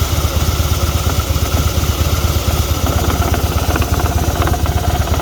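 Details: 2016 Harley-Davidson Fat Boy V-twin idles with a deep, uneven thump and faint light ticking and rattling over it, a strange noise of unknown cause.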